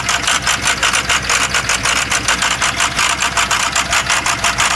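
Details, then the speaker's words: 2007 6.0-liter diesel with crank-no-start, a faulty ICP sensor and high idle, suspected lifter failure: rapid hissing puffs, about seven a second, over a rough idle with a dead skip; heavy blowby from the dipstick, the engine is worn out. "there you go that's flow-by out of the dipstick so this motor is shot it sounds like hell we can probably hear a dead skip back here see so you can hear the skip kind of going with the engine"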